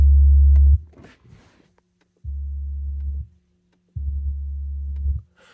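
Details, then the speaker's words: Car audio kick-panel midbass speaker playing a 70 Hz sine tone at the same level as the buzzing door midrange: two steady, clean low hums with only second and third harmonics on the RTA, no rattle or buzz; clean speaker tone. "you can hear no buzzing at all and in the RTA if I'm going to enable right kick 70 which is this one you can see that's the kick there is second third harmonic and no buzzing whatsoever"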